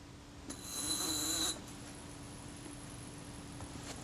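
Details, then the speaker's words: Kodak Retina Reflex IV retard gear train being worked in solvent during cleaning: a short, even, high-pitched whirr of about a second with no catches or stutters, so it runs smoothly and freely. "Now the retard gear train, I can work this in the solvent. I'm listening and watching to make sure that the action is smooth, doesn't hesitate."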